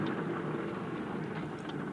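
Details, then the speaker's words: Swaraj 735 tractor, rear wheel turned by hand with brakes removed and engine off: steady rough grinding rumble from a dry, worn bull pinion bearing with play; louder at speed, also brake issue present. "जैसे हमने check कराकर उसका tyre घुमाया तो इसमें तेज आवाज बन रही है"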